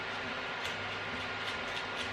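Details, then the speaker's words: Clone RC axle: faint irregular metal-on-metal ticks as the axle is turned slowly by hand; ring and pinion mesh too loose, needs a shim. "sounding metal on metal hear that should really have a shim in it"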